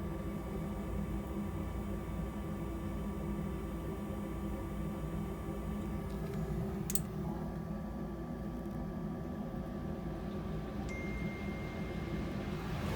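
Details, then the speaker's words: Rheem gas furnace with recently replaced circuit board, water present, earlier code 26, in heat mode: steady low roar from the lit burner under an even blower hum on the slower yellow speed, no rattles; heating normally. "36 it's got a three-time coil sounds like the heat's working okay definitely a slower speed that's the yellow speed"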